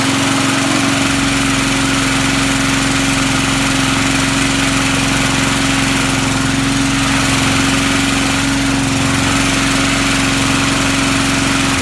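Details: Vintage Sears/Montgomery Ward push mower, restarted after being shut off, owner mentions two-cycle 50:1 mix: steady, even buzzing drone at constant pitch, no misses or surging; normal running.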